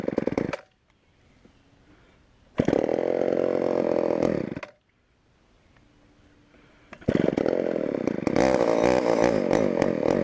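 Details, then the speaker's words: Homelite Super XL chainsaw, first start on secondhand non-ethanol fuel: revs in short bursts with quiet gaps, running rough and lean on the bottom (low speed); owner will adjust carb or let the diaphragm soften. "[Music] a little bit lean on the bottom [Music] I have to make a couple adjustments"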